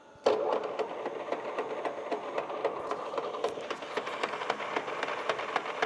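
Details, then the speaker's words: Used industrial lathe bought at auction, 154–440 range at 220 RPM: rough, uneven clattering knock about twice a second from headstock gearing; all gears in this range bad, 630–1,800 range and 260 fine. "Can you hear that? Sounds freaking horrible. And all these gears right here in this range are the same way."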